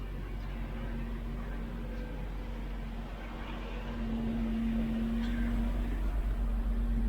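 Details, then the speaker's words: 1999 Jeep Wrangler TJ 4.0L after a new exhaust manifold and motor mounts: steady, even idle with a low smooth hum, no clatter or ticking, and no check engine light; much quieter than before the repair. "oh that is so much quieter no longer clattering and sounding horrible"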